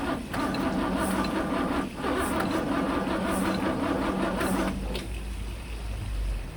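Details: 1963 Mercedes W111 with mechanical injection pump, cold-start connected, no carb cleaner: uneven starter churning about four beats a second, never fires. Fuel reaches the injectors but they aren't spraying.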